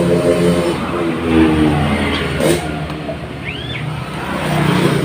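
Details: Honda Supra Fit motorcycle with heavy exhaust smoke: metallic rattle over the engine as it revs up and down, still present with the clutch removed; worn, loose crankshaft bearing with play.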